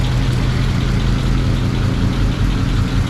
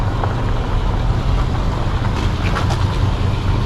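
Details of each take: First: 1937 Ford panel truck, old V8 started on a low battery after sitting, slightly smoky and thought to run a little rich, good oil pressure: steady, even low rumble at idle with no knocks or misses; normal idle. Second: 1937 Ford panel truck, barn-stored with no brakes, started after cranking on a low battery: low, steady, even rumble with no knocking; it smokes, and the mechanic suspects it runs a little rich; good oil pressure.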